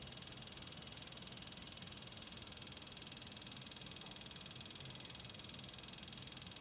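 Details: Brand-new RTX 3080 Ti Founders Edition graphics card: quiet, fast, even rattle about four per second over steady fan hiss, like a blade hitting something; cause not confirmed.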